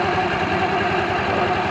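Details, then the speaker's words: ER 150N scooter at about 5k km, after a CVT setup with an MXi belt: even, fast single-cylinder idle with no rattles, chirps or scraping from the drive side; normal idle. "Ayan paandarin boss. O 'di ba? Ganda ng tunog."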